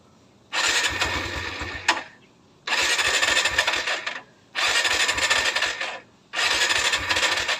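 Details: Kawasaki Barako II, first cold start in the morning: four cranking bursts of about two seconds each with pauses, and the engine never catches; hard cold starting, where the carburettor choke should be used first.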